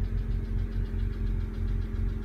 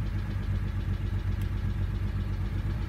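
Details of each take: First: BMW 135i E82 N54 after rebuild, troubleshooting P0306 cylinder 6 misfire, idling while warming toward about 120 coolant temperature: smooth even idle, steady low hum, no stumble or miss. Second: BMW 135i E82 N54 after engine rebuild, P0306: uneven lumpy idle with irregular stumble about once a second, surging on blips; cylinder 6 misfire, owner suspects an old ignition coil.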